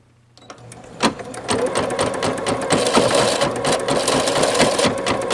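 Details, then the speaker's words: Singer Futura XL 550, before fix: fast clattering rattle about twice a second from the bobbin area while running; caused by a throat plate cover not seated fully forward. "now here's a clip from my last video I did with that noise listen to this what it was sounded like before"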